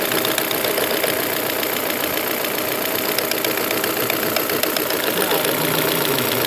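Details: 2001 Volvo V40 1.8 bi-fuel petrol engine idling at steady rpm: light, somewhat uneven ticking about three to four a second that comes and goes; timing belt replaced, oil and filter changed months earlier, no warning lights.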